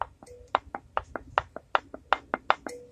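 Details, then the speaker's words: Unsealed home-canned butter jar lid, still very hot after canning, pressed by hand: quick tinny pops about four a second as the lid flexes because the jar has not sealed yet; a sealed lid pings and stops flexing. "So I want to show you what it sounds like when it's not sealed. I'm hoping that you can hear that on the video. So you can tell that this one's sealed. So I'm just going to continue to let it sit. But this is what it sounds like before it seals."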